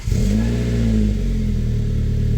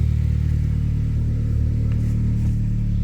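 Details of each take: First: Saab from the 9000 era starting: engine catches at once and settles into a steady, even idle with no knocks or misses; runs well, though belts and idler pulley are noisy. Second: Saab from the 9000 era, exhaust with middle silencer and slight exhaust-flange leak: deep booming drone swelling with each rev; excessively loud exhaust.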